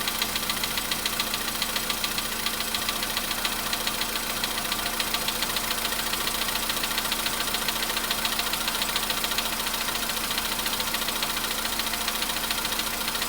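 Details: VW Polo sedan, cold start at idle: a steady, sharp ticking knock of about 3.5 per second, even and persistent. The knock reportedly fades after about 4 minutes 40 seconds, near 55 degrees.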